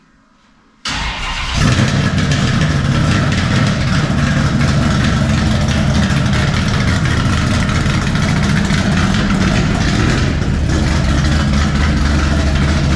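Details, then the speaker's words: 1957 Chevy pickup with swapped big-block V8, first fire-up with new 3-inch mandrel-bent exhaust and Black Widow mufflers: fires within a second, then a deep, loud, even V8 burble at idle; healthy. "It's not going to be quiet, I can tell you that. All right, first fire up with the exhaust."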